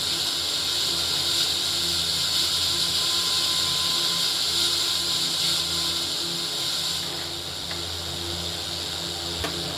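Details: Old Philips RR286 radio cassette recorder under repair, antenna extended: steady hissy static with no voice or music; FM static between stations, not yet properly tuned.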